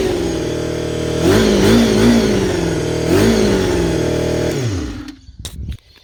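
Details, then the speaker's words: Honda CBR250RR MC22, first start in years after a carb rebuild, fuel line running straight from the petcock: revs climb and fall unevenly with wavering pitch, then it dies when the throttle closes, because the carburetors are not yet synchronized. "it's not revving correctly yet because the cabs are not suited but i'll show you the bite going"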